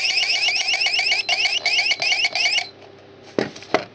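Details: Mini keypad alarm found broken: rapid warbling electronic siren at about three sweeps per second, very quiet, thin and weak, cutting out after a couple of seconds. Faulty siren, cause unknown.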